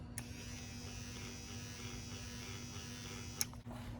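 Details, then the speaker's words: 1995 Ford Mustang GT spare power window motor bench-tested out of the door after the original proved bad: steady even electric whir with constant low hum, no grinding or catching; replacement motor works normally. "Hopefully this one works. Yep, this one's good."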